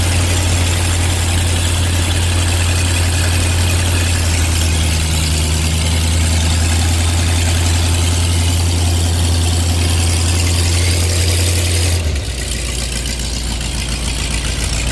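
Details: 1986 Ford F150 351W with Holley Sniper EFI and HyperSpark distributor idling with deep, even V8 drone, no misses or knocks, after correcting distributor clocking; normal idle.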